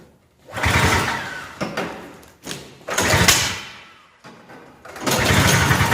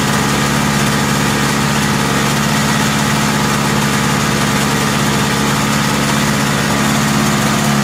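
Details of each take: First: Lawn-Boy Insight single-stage two-stroke snowblower on 50:1 mix, cold start just off choke: revs swell and sag in uneven bursts every couple of seconds; cold-start RPM surging matching customer complaint, to be checked when warm. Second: Lawn-Boy Insight single-stage snow blower after service with a new spark plug, exhaust hooked up: steady two-stroke drone holding speed without surging, then smooth wind-down at shutdown; running stable.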